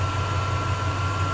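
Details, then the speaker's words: 2000 Chevy Silverado regular cab short bed, e-fan conversion with 2013 Escalade 6.2L fan assembly, tune setting corrected: even low V8 idle hum with soft steady fan whir, both fans running, far quieter than earlier loud fans; normal operation. "you can barely hear the fan the other ones I had on there it was like really like super loud and the this is just like are they working both sides are running now and I can barely hear it"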